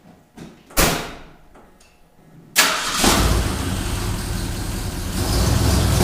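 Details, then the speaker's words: Ford Bronco V8 after motor rebuild, first run, recorded from across the shop; starter whirrs, fires and settles into a steady even idle with slight swell near end. Normal running; carb noted running a touch rich. "Sounds all right. Well, let's get this done."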